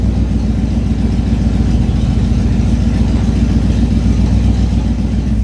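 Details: 1989 Ford F150 single cab, long parked project truck, exhaust open at the headers with no muffler: deep, raw, very loud roar with choppy low rumble at idle and revs; obnoxious exhaust from disconnected headers, to be fixed.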